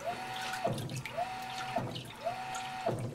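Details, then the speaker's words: GE Infusor GTWN5050M0WS H.E. washer running empty, slow-speed wash: short stretches of motor hum, each ending in a soft thud roughly once a second as the tub stops abruptly; normal operation. "it got an app for a new trick now it can do slow speed I love the little thud at the end"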